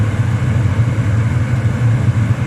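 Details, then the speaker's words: Eberspacher Hydronic 30 kW heater on batteries with diagnostics; water pump, fan and spark heard, then a steady low roar with even, slightly fluttering flame, no popping or surging; normal burner operation. "okay you can hear the water pump also the fan yeah and keep the spark yeah and the unit is starting"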